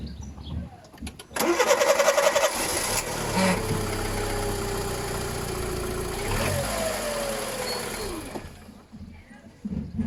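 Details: Petrol Polo started after its fuel was drained with the fuel pump and the fuel line reconnected, a little fuel left: brief cranking, then it catches cleanly, blips up and settles to a steady idle; normal start.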